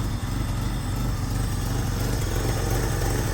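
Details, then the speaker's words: 1st-gen Ford Ranger four-cylinder with very high mileage idles with an uneven, loping beat from a camshaft too big for it, with an exhaust leak also present; lumpy idle from oversized cam. "ignore the exhaust leak and just listen to the wonderful lump of a four-cylinder with too big of a cam for the million miles that are on that"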